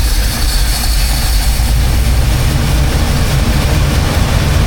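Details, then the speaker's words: 1985 Chevy C10, cammed, new Holley 4160 600 CFM electric-choke carb, cold: deep, lumpy rich idle with white smoke while the choke plate stays fully closed, smoothing slightly as the choke is eased open. "The engine wants more air, but the choke plate is still completely closed."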